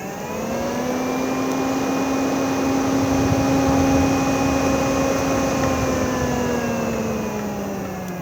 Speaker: so as you can see we've turned it on, and now we have arrows out for extraction and arrows in for cooling. Variable fan speed just by pressing.